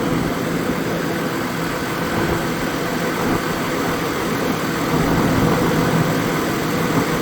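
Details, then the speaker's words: 2002 GMC Envoy after clutch fan replacement, idling; smooth even rumble and fan whoosh, new fan slowing properly unlike the old one, no squeaks or clicks, engine sounds healthy. "well it sounds like it's doing its job it's slowing down definitely a lot slower than the previous one was actually feels like it's running better too"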